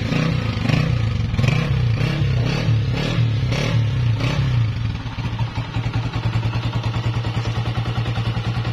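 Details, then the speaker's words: 2017 Honda CG 125 with 30,000 km, after replacing cam gear, half kit, oil and piston rings to cure engine noise: revs up a few times then settles to a steady, even idle with no top-end clatter; noise gone. "तो दोस्तों आपने इसकी आवाज भी check कर ली अल्हम्दुलिल्लाह आवाज 100% clear हो चुकी है"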